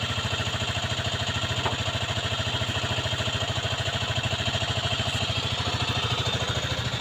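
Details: Aprilia Leonardo 125 scooter after long storage: steady, even single-cylinder putter at idle with quick rev blips, no knock or miss; running properly.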